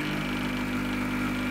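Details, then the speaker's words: Espresso machine vibration pump, the cheaper type typical of thermoblock machines and somewhat louder: steady, fairly loud buzzing hum with even tone, no surging or rattling; normal running. "vibrations- pumpen werden grundsätzlich eher im günstigen bereich eingebaut bei diversen thermo blog maschinen bei 2 kaiser maschinen er im günstigeren bereich und sind etwas lauter"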